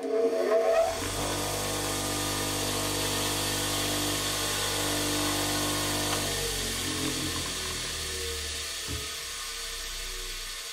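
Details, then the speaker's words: 8-inch/200mm bench grinder with added wire wheel, before modification: motor whir with faint shaking rhythm then spin-down; owner believes the badly clamped, out-of-balance wire wheel causes the wobbling, visible run-out. "so I believe and I haven't tested this but I believe the wire wheel is the source of all the wobbling I'll just switch this on and you can watch it"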